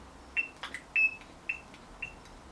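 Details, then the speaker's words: Two-stroke strimmer (McCulloch/Partner) after carburettor cleaning and reassembly: short high chirps about every half second as the carb one-way check valve squeaks opening, working normally. "well, that sounds good. It sounds like we've got a one-way valve going on because I can hear it squeaking."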